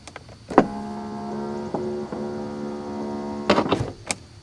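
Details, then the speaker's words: 1991 Mercedes-Benz 420 SEL right rear power window: the motor hums steadily, stutters partway, then clunks. The motor and regulator work, but the glass catches at its base in the channel. "can hear that something caught right around there the base of the glass and pushed it back up in the normal position in the channel"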